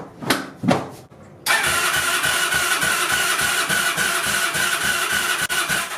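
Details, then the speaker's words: 2002 Yamaha Breeze 125 quad, first start after an engine rebuild for a bent valve. A few cranks, then choppy chuffing at two to three beats per second. Runs rough; the owner suspects the exhaust valve needs adjusting or the engine is cold. "ah I mean it ran I don't know if I should really keep trying I mean cranking over the engine sounds fine it doesn't S it's hitting anything I don't if it just needs to get some heat in it or something"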